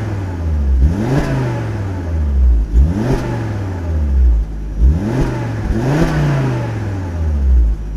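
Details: Volvo C70 T5 GT with standard exhaust, given three revs from a steady low idle. A faint puffing edge on each rise; the owner is unsure whether the exhaust blow is audible and says it is not too bad. Exhaust blow.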